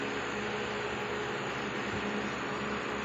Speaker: Ang ganda ng tunog niya, oh. Hindi siya maingay, di ba? Nung pinalitan natin ng rubber dito.